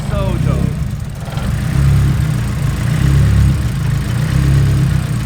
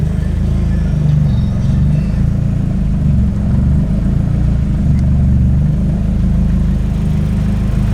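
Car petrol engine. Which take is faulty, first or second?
first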